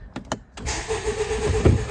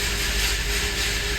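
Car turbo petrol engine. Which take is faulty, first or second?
second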